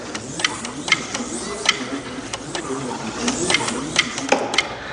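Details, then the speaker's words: TNT Super 7 HO slot car on test: sharp, irregular clicks over a faint high motor whine as the throttle is slapped; the controller's relay engaging at full throttle, bypassing the controller for full track voltage, which is normal. "So, that click is the relay on my controller at full throttle. It bypasses the entire controller, gives a car as much or the track as much voltage as it will"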